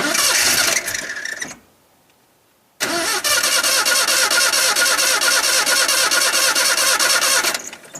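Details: Truck on homemade wood gasifier, restart attempt after rough first run: short crank dies into silence, then engine catches and holds a busy, uneven roar; slow, reluctant starting, owner then adds airflow.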